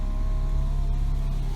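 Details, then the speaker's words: Old, rusty, worn Honda Civic: steady, even window motor hum holding one pitch, then a soft thud as the glass stops; the power windows both work normally. "although on the plus side for this car the windows both work"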